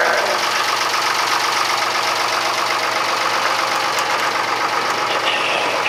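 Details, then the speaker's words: Fisher 30 boat diesel idling after the cooling system refit (new water pump impeller and thermostat, repaired thermostat cover, unclogged cast-iron exhaust elbow): a steady, even clatter with no misses. Oil pressure came up right away and far more cooling water is going overboard. Normal idle. "so good news is that the cooling water is coming out the side of the boat in much higher quantities that I have ever seen before"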